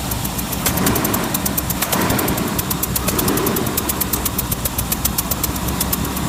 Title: Land Rover Discovery Engine knocking